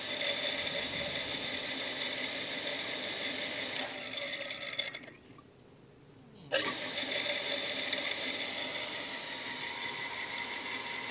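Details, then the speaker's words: Shimizu PS-135E water pump that hummed without turning, now spinning after restarts: harsh high hiss and rattle, briefly cut then restarted just as loud; noisy running, owner suspects sand got inside the machine. "dia memutar pemirsa cuman bunyinya keras Hai berisik gitu kayak ada pasir yang masuk kedalam mesin ini"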